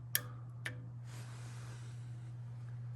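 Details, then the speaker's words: 1926 Ford Model T Roadster fitted with a generator motor: two sharp clicks over a low steady hum as the cleaned-up solenoid, fed from the starter positive side, now snaps in and out freely; engine close to starting. "there's that solenoid clicking over it's so close"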